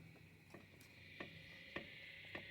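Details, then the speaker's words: Chevrolet Meriva, wheel rocked by hand: sharp metallic clicks about every 0.6 seconds from play in a worn lower control arm ball joint, which is then replaced. "o barulho, tá vendo o barulho? Escutando, né? Na verdade, ó. É essa folga que ele faz."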